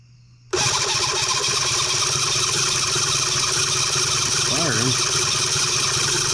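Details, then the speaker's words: New Cison L4-175 flathead four-cylinder model engine on first start attempt after possible flooding, fuel line pinched and throttle wide open; steady fast cranking whir with no catch; one cylinder tight, starter getting warm; cranks but will not start. "we got one tight cylinder that's for sure i wonder what's going on here it was trying to fire"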